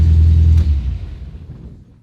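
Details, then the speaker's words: 1975 MGB after new fuel tank and SU fuel pump, kept from getting too warm: deep, even rumble with a steady beat that dies away smoothly, no knocks or misses; engine sounds pretty good, normal running. "then she sounds pretty good i don't want to let this bad boy get too warm because we still have a couple things left to do to it"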